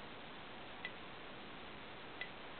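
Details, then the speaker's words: Homemade 12 V electric fence charger (NE555, BD140, BU208A) at highest setting: sharp single transformer ticks about every 1.4 seconds over a steady hiss; normal pulsing. "now let's crank it up to its highest setting maximum power you can hear it transformer clicking"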